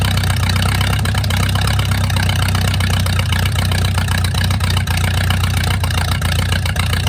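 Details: Mercruiser 470 3.7L marine engine, first run in 16 years after fuel reached the carburetor; deep fairly steady low rumble with slightly uneven beat settling into idle. Automatic choke not working properly, owner suspects his wiring. Normal idle.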